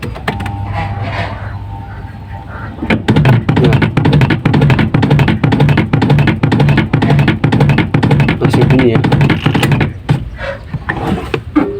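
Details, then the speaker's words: Washing machine spin dryer knocking under a clothes load, silent when empty: heavy thumps about twice a second over the spinning drum; likely a loose motor shaft bolt under the machine or a broken motor mount spring. "Nah dan biasanya penyebabnya bunyi seperti itu e ada berbagai ini ya berbagai penyebabnya biasanya terjadi karena baut di bawah mesin ini ya Ba di bawah mesin ini dia itu kendor ya"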